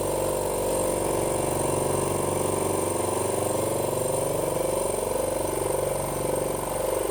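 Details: Cleaned 50 L twin dry air compressor on test run filling: steady, even pumping drone with a quick, regular piston beat, no knocks or rattles, normal running.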